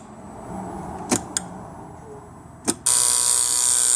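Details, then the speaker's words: Mitsubishi V5A51 automatic transmission (Triton/Pajero) after a filter service and a fix for a binding selector linkage. Selector clicks, then a steady high electrical buzz as the rear solenoid energises in reverse. Shifting works normally. "neutral reverse park working beautifully and you can hear the the solenoid buzzing when you select reverse"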